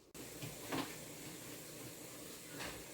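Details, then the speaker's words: Pressure canner canning potatoes during heat-up, gauge still off; steady even hiss of steam escaping the open vent, marking the normal venting stage, about 20 minutes after starting. "so when you hear this take in that's when you know you're at your venturing stage"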